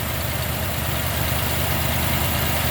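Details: 1990 Jeep Grand Wagoneer after restoration with a new rebuilt AMC 360 and Holley EFI; smooth, deep, even V8 rumble at idle with very low vibration, no ticking, knocking or stumble; normal idle.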